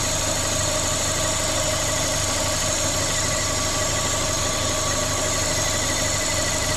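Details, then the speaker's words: Corsa VXR idling with its engine replaced a week earlier, bogging on acceleration with the engine light on: loud steady hiss over a quiet idle from a vacuum leak, later traced to a cracked cam cover. "Definitely got a vacuum leak. Right, so I'll just spray it with brake cleaner."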